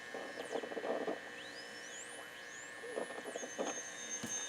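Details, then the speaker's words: Motorola 68L11 tube radio, tested by placing a second AM radio nearby: faint whistling tones sweep up and down in pitch over a low hum as the set is moved; a heterodyne howl showing the local oscillator works. "you can hear that howl and if you move it you can hear this radio start to work again so this radio is only getting signal from here now it's not it's not getting the radio station or the noise that it normally gets because this oscillator is interfering with this oscillator"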